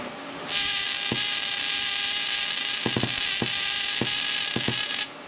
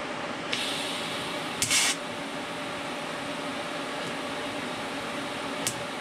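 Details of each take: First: Everlast 255EXT TIG welder, high-frequency start demonstrated with the torch about an inch to an inch and a half from the metal: a sharp sustained hiss with snapping cracks as the arc is forced across the gap. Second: Everlast 255EXT TIG welder, normal arc strike at the correct torch height and very low amperage: a short crisp snap, then a quiet steady hiss as the arc settles in; a clean, normal start.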